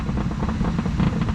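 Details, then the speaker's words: 1965 Mercury Montclair running after sitting 16 years: deep, uneven low rumble under the idle with no crisp exhaust note; owner thinks both rear mufflers are rusted out. "so uh she's running both mufflers are uh i think rusted out in the back so that's where the that's where the rumble is"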